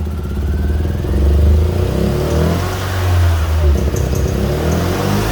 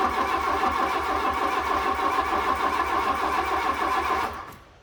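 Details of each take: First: Fiat Punto GT that had stopped, restarted after adding fresh fuel, with old fuel suspected to have run out or gone bad: catches and settles into a steady, even idle with no misfire or stumble. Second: Fiat Punto GT not started for a long time, cranking sluggishly about three and a half beats a second for four seconds with no firing, turning over slowly; likely no fuel, with a code light flashing on and off.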